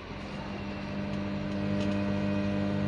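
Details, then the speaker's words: Euro 4 truck idling, then revved: a steady low hum that holds one pitch and does not follow engine rpm, traced to the cab radio speaker, not the engine. "Kalau mesin bermasalah dan berdengung, ketika RPM-nya ini naik pasti dengungannya itu akan ikut naik seperti itu ya, Teman-teman ya. Nah, ini kan enggak ikut naik. Ternyata dengungannya dari ini,"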